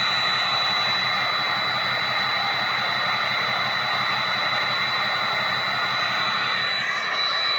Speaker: And I mean, when you get on it, when you get on it and you get to hear that Chewbacca roar, I mean, there's nothing like it. I mean, it's it's intoxicating. It really is. And then just listen to that uh turbine exhaust.